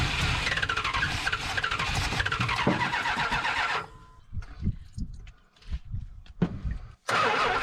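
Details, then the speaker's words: Mopar muscle car with spark and apparent compression, running on year-old gas, AV gas added: steady starter churning at about four turns a second, retried, never catching. Old fuel suspected. Cranks but does not start. "we got spark sounds like we got compression why don't we have an engine that runs"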